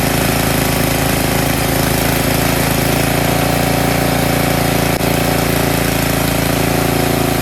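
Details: Snowblower engine after its clogged carburetor pilot jet was cleaned to fix surging: holds a steady, even note with no rise and fall in speed and no hunting; normal steady run.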